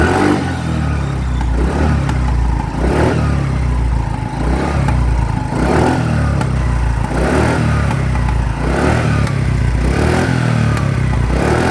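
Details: TVS Jupiter BS3 scooter revved in bursts: crackling exhaust pops on rises and falls with black smoke; silencer misfiring, possibly secondary air control valve related, not confirmed.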